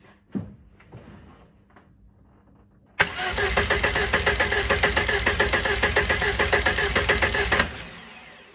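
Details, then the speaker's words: Front engine of twin-engine Corsa after dyno issues, cranking on starter for about four seconds; slightly uneven cranking beat and tone difference versus the other engine, compression test confirmed one cylinder low: low compression in one cylinder. "So this is me cranking the front engine, which has the compression problem on one of the cylinders."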